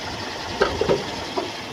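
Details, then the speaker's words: 1997 Toyota Kijang LGX, engine idling under the open hood: soft, even idle hum with light handling taps, no rhythmic knock or rattle, no signs of worn piston rings or bearings; engine sounds smooth and healthy. "memang mesinnya suara langsamnya masih halus masih enak enggak ada ciri-ciri dia itu seher kena ring seher atau metal itu udah kena ini suaranya masih halus banget masih oke"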